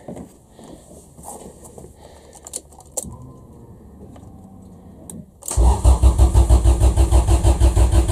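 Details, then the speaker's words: Honda Civic EF after OBD0 to OBD2 wiring swap, fuel pump possibly wired backward with no regulator pressure shown, plug later found fuel-wet: steady cranking about three pulses a second, sounds close to firing but never catches; crank no start. "I think it probably is getting spark because it sounds like it's going to fire up but isn't quite"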